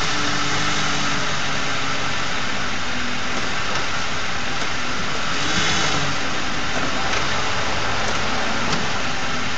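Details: Ford 4.6 V8 at idle with failed Prime Guard oil filter anti-drainback valve: thin steady buzz above exhaust note; a replacement filter of the same brand buzzed too, torque converter or transmission front pump also suspected.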